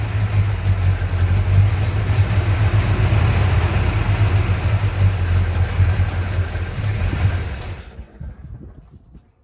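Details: 1965 Chrysler 300 383 V8 after 17 years sitting in California desert, just revived: deep loping idle with uneven stumbling beat; smoke from leaked oil burning off, holed radiator; owner suspects timing slightly off.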